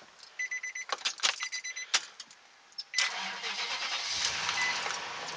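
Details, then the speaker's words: 2004 Nissan Titan V8 with a fully drained battery, jump-started with a Harbor Freight Chicago Electric 12V 400/900A portable jump starter: dash chimes, a brief crank, then it catches at once into a smooth idle. A normal start. "started right up okay everything's on it's running"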